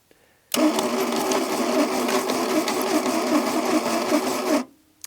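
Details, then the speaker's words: 1982 Plymouth TC3, unrun for 32 years, cranking with no spark and new plugs grounded out: about four seconds of harsh, rattling grind from the engine while cranking, and it never fires. Cause not yet clear. "whatever is making a horrendous noise in this area you know the whole engine it's not pleasant"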